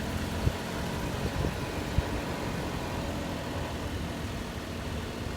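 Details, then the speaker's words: Daihatsu Tanto L375S driving after outer CV joints on both driveshafts were cleaned, packed with Moly joint grease and boots refitted; steady low engine and road hum, previous clunking/rattling gone, driveshaft now quiet. "昨日時間が遅かったんで試乗しなかったんですが今日タントを通勤で使ってみたら全く異音が鳴らなくなっていました"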